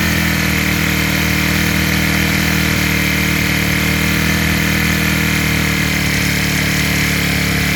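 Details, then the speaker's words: Small rebuilt four-stroke after valve check and carburetor fitting, with the mixture screw tuned during warm-up. It holds a steady, even idle with no stumble or shake; normal idle. "ถ้าเครื่องเบอกว่าเขาโอเคเเอาน้ำมันเท่านี้แหละเ้าก็จะนิ่งนะครับเาจะไม่สั่นแล้วจะไม่ดื้อนะครับ"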